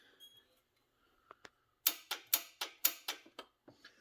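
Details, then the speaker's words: Nitrous Outlet EFI wet kit being installed on an H22A-swapped Honda EK, with the solenoids not yet mounted. With the ignition and arming switch on and the throttle microswitch pressed, they give sharp dry clicks, about two a second. They work normally; with the switch off, nothing happens. "You hear the solenoids work. If you flip the switch off, which is daily driving, nothing."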